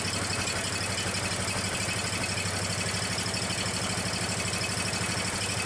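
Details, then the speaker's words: Small yard-machine engine after refitting the vacuum-controlled fuel pump and fuel hoses, fuel turned on: may take a few turns to start, then runs with a quick, even putter, no misses or surging; fuel delivery sound. "It might take it a few turns there to start, since you didn't have any fuel running through the vacuum controlled fuel pump. But once it gets through there, it'll start right up."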